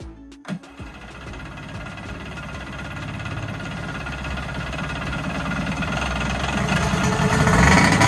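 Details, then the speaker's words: Kawasaki JS440 two-stroke jet ski after replacing crank seals and a bearing, running in the garage: coughs into life, crisp note climbs steadily without missing, smoky but runs clean and starts right up. "So guys, there you have it. Tank's in, everything's on, and this thing runs pretty good. Starts right up."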